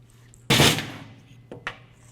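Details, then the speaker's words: SnowDogg VXF V-plow valve test, coil fitted and 12 volts applied: sharp click then two lighter clicks as the plunger moves freely; valve operating correctly (coil needs at least 9 volts). "and as soon as I apply 12 volts, you should hear the plunger moving in and out. Should be a little clicking noise. This way you know for sure that the valve is operating correctly."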